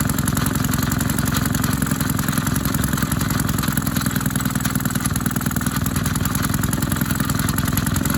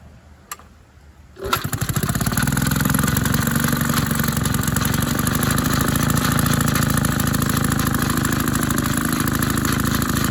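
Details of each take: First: Maytag 72 twin-cylinder engine driving a power hacksaw, rebuilt from parts of several engines: once warmed up it chugs with an uneven, skipping beat and missed pops as one worn cylinder misfires. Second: Maytag 72 twin-cylinder engine (one cylinder more worn) driving a power hacksaw via a new 5-inch pulley, with rpm lowered by turning the adjustment screw out: an even, steady low-speed putter with no misses, running well.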